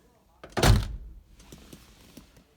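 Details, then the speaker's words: 1973 Plymouth Duster after its door rattle was fixed: one deep, dull thunk as the door shuts, with no rattle or buzz afterward. The door now closes solid and tight. "and when you close the door no rattles She's Tight no rattles oh that feels nice"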